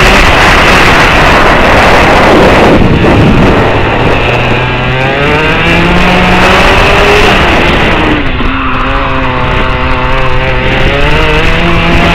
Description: Something isnt sounding too good! :-(